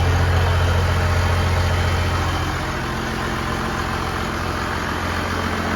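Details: 1969 Dodge D200 Sweptline with a swapped 5.9 first-gen 12-valve Cummins, warming up after a -4°F cold start; battery not charging. Loud, steady, low diesel clatter at idle, even beat about three to four pulses a second, no misses: normal diesel idle.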